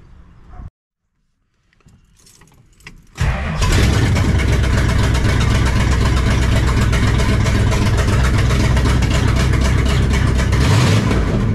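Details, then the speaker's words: 1968 Dodge Charger R/T after installing a Barry Grant Demon carburetor, idle screws possibly needing adjustment: cranks briefly, catches, settles into a strong, even V8 rumble with a slight rev, sounding good and healthy. "I've already had the charger running a little bit sounds good sounds happy"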